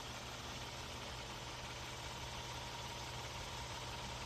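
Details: Coach diesel, parked with engine running and fast idle off; steady, even low idle with no rise in revs after the regen steps, since this bus did not actually need a DPF regen; normal idle.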